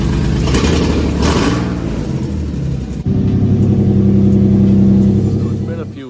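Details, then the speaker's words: Drift-car Z V6 on its first start after engine and transmission install, revving: lumpy, uneven exhaust note with a stumbling beat; it runs on only four of six cylinders because two ignition coils were wired backwards. "but if you guys heard in the video of the first startup on the car it actually had two ignition coils wired backwards so it was running on four cylinders"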